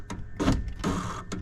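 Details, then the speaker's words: BMW E36 2.8 power window motor, after earlier window repair: a few brief clicking bursts from the door motor then silence; window motor clicks and stops without moving the window, cause unknown. "fix the window which again it's not working for some reason it's just like the the motor itself is just it makes like a few clicks and it stops"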